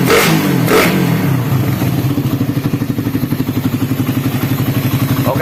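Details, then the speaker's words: Suzuki Satria FU single started on the electric starter, valve clearance 0.20 intake and 0.30 exhaust; quick, even thrum with regular pulses and no knock or rattle, a smooth, healthy idle. "dan suara mesinnya seperti ini ya masih tetap halus meskipun Celah klebnya 0,20 yang in dan 0,30 yang X"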